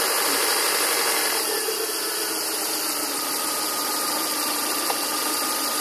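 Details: 2000 Volvo V40/S40 1.8 122 hp at idle; a harsh, hissy rasp and an uneven rattle sit over a steady idle. Source of the rasping not identified.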